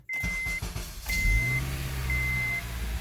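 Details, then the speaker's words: 2002 Honda CR-V AWD automatic after replacing the transmission mount and front mount: engine cranks and catches promptly, settling into a steady even idle under a repeating door chime; normal startup. "that's that's a good sign i don't hear any grumbling put it in drive seems fairly quiet to me boys and girls and you can hear it's not jolting into gear anymore"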